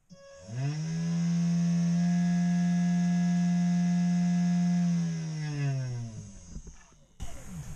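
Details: Chinese CNC 3018 spindle after replacing Z-axis bearings with linear bearings: winds up to a steady buzzy hum with strong overtones, holds, spins down; still noisy, now suspected from X-axis bearings or an unbalanced spindle, unconfirmed.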